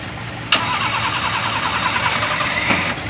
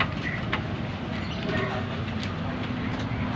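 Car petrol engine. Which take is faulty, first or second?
second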